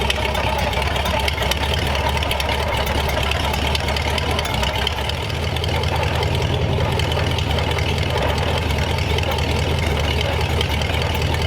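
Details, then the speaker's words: Replacement flathead V8 (35/6 block) for 1934 Ford on a run stand, freshly started, no coolant yet; steady even rumble through open headers, no knocks or misses, good oil pressure; normal running. "so that good pressure there headers make it sound cooler than it is"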